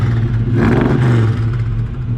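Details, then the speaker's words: Nissan Silvia with a swapped RB30, after new spark plugs and a new carb gasket that stopped fuel leaking onto the manifold: it runs by itself, picks up cleanly on a blip and settles smoothly with no stumble. Normal revving. "It runs by itself. Fuck yeah, that runs way better."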